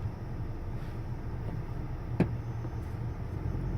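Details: 2018 Honda Accord slowing under braking: one sharp click or pop from the brake pedal over low road rumble; the owner is unsure whether it is normal, and the cause is unknown.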